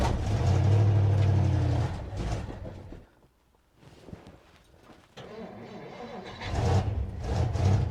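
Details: 1957 Dodge Texan after first start from sitting since July 2023: low lumpy idle sags and nearly dies, then recovers; carburetor squirting from only one jet, probably a huge vacuum leak because its body is loose on the base.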